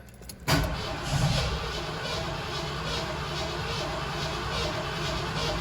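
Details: 1984 Ford Bronco XLT that sat 20 years in Florida, start attempt: after an initial clunk, steady fast even starter cranking with no catch or firing; engine turns over strongly but won't start.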